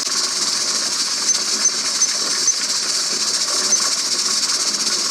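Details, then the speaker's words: Pressure canner processing quarts of bean soup with ham at 10–11 psi on a 90-minute timer, heat turned down: constant high steam hiss with no sputter or surging, weight jiggling and venting evenly; holding pressure normally. "As long as you hear that jiggling, you know that it's working and that it's where it should be."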